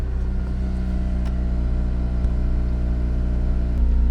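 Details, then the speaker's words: Honda Civic Type R (FN2) cold start with standard exhaust refitted replacing aftermarket system: low, smooth, even rumble with slight rev rise, no drone or blow; much quieter, normal exhaust note. "all right so standard exhaust fitted back on let's give it a go thank you much quieter very nice so much quieter"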